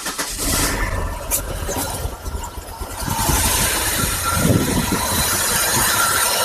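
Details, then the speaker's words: 1999 Pontiac Grand Prix GM 3800 petrol engine starts and idles unevenly, missing badly, with a shaking, uneven rumble; fuel pressure holds about 40–43 psi. Symptoms: misfire (P0300), running rich, poor acceleration, red-hot catalytic converter. "And as you can see there, the motor is missing pretty bad cuz it's"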